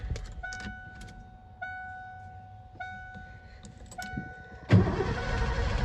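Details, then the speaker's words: 1988 Ford F-250 EFI, sat over a decade, with 5 gallons of fresh fuel and the fuel pump confirmed running: door chimes, then the starter cranks steadily but it never fires. Crank no-start; bad fuel clogging injectors suspected. "Might be bad fuel plugging up the injector. Injectors, more likely."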